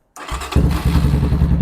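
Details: Venom Ghost Chopper 250 motorcycle during a no-start electrical check, after confirming battery voltage at the starter solenoid. A thump as the start button is pressed, then steady fast cranking as the starter spins the engine freely; normal starter cranking.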